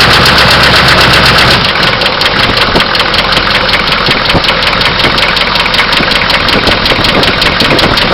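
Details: Oldsmobile diesel engine at rough idle: loud, sharp knock repeating two to three times a second; owner suspects bearing knock or an injector, not confirmed.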